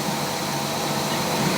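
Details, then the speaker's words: Fisher & Paykel top-load washer after repair, washing a normal load: steady even whirring hum is the pump, no bearing rumble or grinding; bearings now quiet. "this sounds much better you can't hear the bearings all you can hear that noise that you're hearing is the pump it's not the bearings it's the pump"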